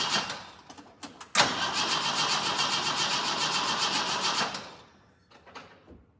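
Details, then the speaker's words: Jeep J10 with rebuilt carburetor and reinstalled gas tank, cold weather: starter cranks briefly, engine runs rough a few seconds on a splash of fuel, then stalls; fuel not reaching the pump, which works but may be weak. "right, we know it will run with a splash of fuel. challenge is still not getting any fuel up to that fuel pump."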